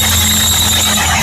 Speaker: The engine belt makes abnormal noise.